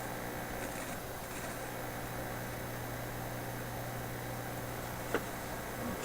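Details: Electrohome TR-50 console stereo, first power-up before repairing broken FM antenna coil wires: faint steady low hum from the speaker with soft hiss, no crackle or buzz; old tube set powering up normally.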